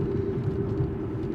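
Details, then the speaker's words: 2015 Buick Regal at 50–55 mph gives a steady droning howl over road rumble that doesn't change when swerving side to side. The customer had already replaced two bearings; the noise is tire howl. "but all it's doing is howling like crazy right now, and it sounds purely like tires. If I try to move side to side to try to change the pitch, it doesn't go away."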